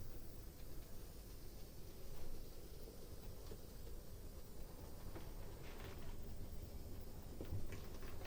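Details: Hornby County Class steam loco, Ringfield motor, after service: motor-to-axle gear mesh loosened with copper washer, distorted wheels straightened; very quiet even hum creeping slowly, no whine that previously needed near-full throttle; running properly.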